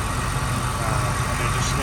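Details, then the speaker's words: 1996 Ford Mustang Cobra convertible, 81,000 miles, nearly stock V8, serviced: steady, even idle with deep smooth burble, no knocks or stumbles; runs smoothly, normal idle. "all right definitely definitely sounds good and running smoothly and perfectly"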